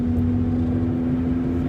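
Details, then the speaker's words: Saturn Ion cruising at about 55 mph on the highway, coasting off the throttle: steady low hum with constant tone over road noise that follows road speed, not revs; cause unconfirmed, rubbing noise also noted. "st it still just makes a noise based off of how fast the the car's going so and i didn't completely fully stop i just went down a little bit of speed and back up"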